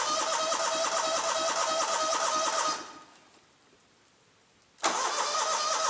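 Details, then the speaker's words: Scag Turf Tiger 61 with Kohler CH25S twin that died on blade engagement, after replacing bad ignition coil and setting air gap with 0.010 feeler gauge: even, steady twin-cylinder beat, restarts at once and runs smoothly with blades engaged; fixed. "all right well there you go guys if you got a blade that wants to kill the engine when you engage it that's the fix at least that was the fix for me"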